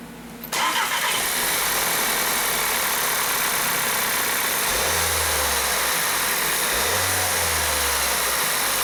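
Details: 2012 VW CC with cam timing codes P0341/P0016 and misfires, after oil control valve replacement and cam timing set at TDC: cranks, catches within a second, then holds a steady idle without stumble; engine idle after cam timing repair.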